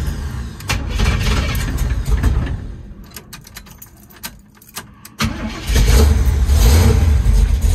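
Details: 1973 Chevy Nova, EFI removed, now on a Street Demon 750 carburetor, cold start after sitting a few days: cranks and catches, stumbles and dips, then lumpy uneven idle; rough cold start.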